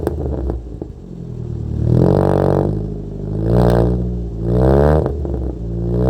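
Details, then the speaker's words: Toyota Corolla after distributor timing settings were changed: revs rise and fall in slow, uneven swells with a harsh, flat note and no real pickup; no power at all, not drivable; misadjusted ignition timing. "as you can hear that he doesn't have power he does not have power at all so I don't think it's drivable the way it is"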